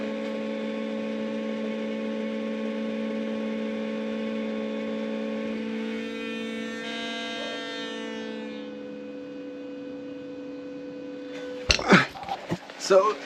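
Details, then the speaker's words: Land Rover Discovery 3/4 2.7L TDV6 diesel (chassis from 7A000001), after new fuel filter, ignition on without starting, repeated priming cycles: steady electric hum with even tones for several seconds, then fades; fuel priming pump running normally. "I can definitely hear it moving some.</b> <b>Still making sound.</b> <b>Stopped.</b>"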